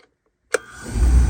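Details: Beckett oil burner, which had been cutting out intermittently, after replacing the CAD photocell, with a small part noted missing: sharp click at light-off, then a deep roar builds within half a second and settles; normal ignition.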